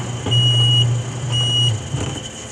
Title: Edwardian Apartments Electric Gate B beeping at a lower alarm tone